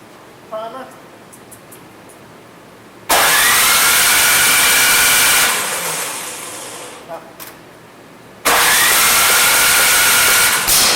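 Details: Troy-Bilt 26-inch two-stage snow blower that does not run, before the carburetor repair: two long pull-start bursts of cranking whirr that die away with no firing; cranks but will not start.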